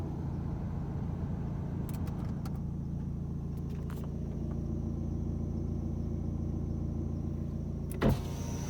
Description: ive recently bought my bmw m sport 1 series (2011) and it has been making this horrible noise when i start the engine. it makes the noise when i’m stopped and when it’s running, if i do a journey over 40 mins the noise fades a little , any help is appreciated